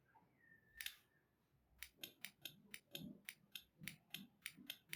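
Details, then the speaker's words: Car relay bench test with 12 V DC applied across pins 85 and 86: about a dozen sharp, crisp clicks, roughly three per second. The relay coil is pulling in properly and the relay is bidirectional; normal relay click. "Friends, आप देख सकते हैं क्लिकिंग की साउंड आ रही है। ये देखिए, ये भी बाई डायरेक्शनल है आपका रिले।"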